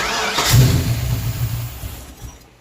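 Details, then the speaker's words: Carbureted project car after throttle cable and return-spring adjustments, carburetor emptied: short cranking bursts try to catch then die, won't start; carburetor visibly pouring fuel, vacuum hoses unhooked, earlier leaks — flooded engine, cranks but won't start. "It just will not start. Oh god, the carburetor is pouring gas right now."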